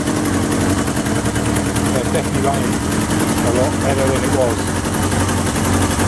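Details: 1977 Kawasaki KZ650/Z650 B1 four-cylinder, air screws 2¼ turns out (manual says 1½), second-hand starter fitted; fast, busy idle with ragged, uneven beat and leaky exhaust note; carbs still need syncing.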